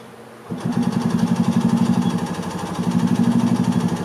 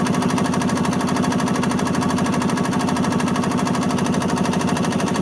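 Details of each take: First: 1986 Yamaha G1 gas two-stroke golf cart that shut down while driving: steady starter cranking about three pulses a second, no firing even with choke; crank no start, carburettor clogged with rust debris, fuel smells like diesel. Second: 1986 Yamaha G1 gas two-stroke golf cart, previously a crank no-start after shutting down while driving, with diesel-smelling fuel; after carburetor cleaning it runs with a quick, even putter, no misses: successful repair.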